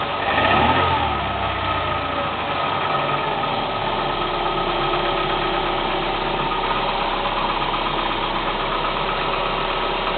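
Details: Cold Kia Spectra 1.6 engine running: uneven tapping under the hum, roughly three taps a second, most noticeable as it revs; cold engine knock.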